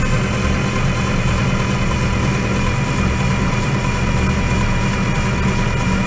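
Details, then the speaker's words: IH UD-16 diesel power unit on a 1945 Chevy truck, after injection pump repair, cranked long to push fuel to the injectors: steady even churning on the starter with no firing while fuel pressure builds; long crank with no start. "okay it takes quite a bit to crank it over to get the fuel to come from here up to here through all this and then up to these little pipes to the injectors"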